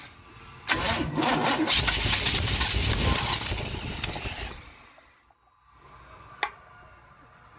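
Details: 1971 Chevy Cheyenne, factory 454 big block, first start on Jegs Bandit EFI, rear jacked up, fuel pressure present: short crank then loud even roar settling down; starts cleanly with no misses, cam break-in next.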